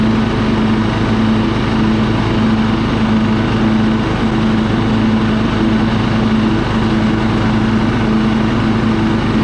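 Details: Husqvarna LT 1538 mower, Kohler CV15 engine, after cleaning the carburetor of old ethanol fuel that caused surging and stalling, warm at idle: steady, even single-cylinder beat with no hunting or surging; normal steady running.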